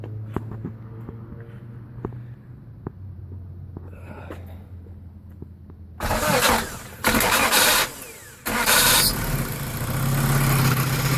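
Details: Honda B18B1 with forged Wiseco pistons and Clevite bearings, 15W-40 diesel oil, on a cold start: it cranks, catches and settles into a loud, busy idle with a hollow knock, Wiseco piston slap.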